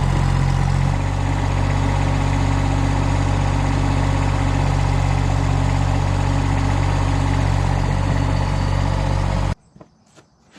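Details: John Deere Gator 850D diesel, after fixing a no-crank caused by the neutral safety switch at the transmission: a steady, even low diesel chug at idle, no knocks or rattles, then shut off. It is charging; normal idle.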